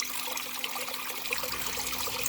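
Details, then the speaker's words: Aquatop CF500UV canister filter on mbuna tank, after fixing a very slow return involving the impeller: steady trickling and splashing with no gurgling or stalling; strong, even return flow restored. "Alright, now that's the flow we're looking for right there. Not what you saw earlier in the video. This is a good flow."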